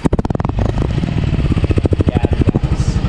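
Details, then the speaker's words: 2025 Yamaha Gravis 125 air-cooled scooter, heard at its small muffler: even, steady single-cylinder idle putter with no misses or knocks. Normal idle. "Ito yung muffler natin guys, medyo maliit lang pero cute. Ito ang tunog niyan."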